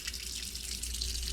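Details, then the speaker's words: Lochinvar Shield SNR 126-065 commercial water heater: steady hiss and splash of water as the union above the stainless circulating pump leaks badly. The water runs over the pump and shorts it out. "as you can see the union above the circulating pump is leaking badly and what ends up being is that it leaks over this pump it shorts it out"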